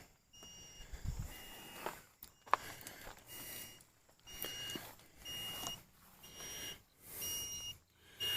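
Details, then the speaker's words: Hulkman Alpha85 2000 jump starter hooked to a car: short high-pitched beeps about once a second in quiet room; error 2 code, car battery dead, meaning start over. "And I can I can hear the Hulkman already not happy."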